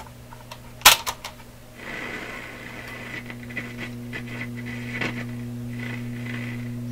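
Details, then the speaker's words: Loewe Opta Type 5966 tube receiver with stereo (record player) button pressed: after handling clicks, steady low mains hum under faint hiss persists; source not yet found. "We're still on stereo, which means a lower hum. Here it comes."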